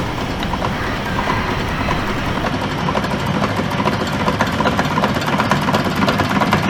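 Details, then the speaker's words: Stanadyne diesel generator fuel injection pump on a Hartridge test bench: harsh, uneven rattling chatter over the bench drive with very low fuel pressure, indicating a damaged rotor that needs replacing; damaged injection pump rotor. "Now you can see that the machine is running and making a noise. And with that noise, fuel pressure is very low, which indicates that our rotor is damaged."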